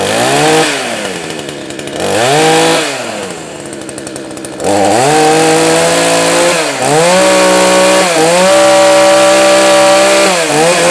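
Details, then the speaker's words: Proyama PCS62 chainsaw, first start after carburetor removal, intake boot check and tightening probably slightly loose bolts, cold shop mid-20s: blipped up and down, then steady high rev; runs, but whether the earlier fault is fixed is unconfirmed. "okay well the real test is going to be once we get it some wood and get it good and warm and see how it does see if that actually fixed it or not"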